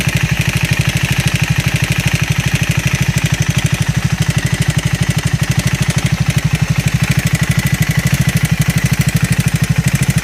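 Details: Triumph Scrambler 400X / Speed 400 idling: steady idle with a sharp, regular tapping about three per second over the exhaust beat; abnormal engine noise, cause not pinned down.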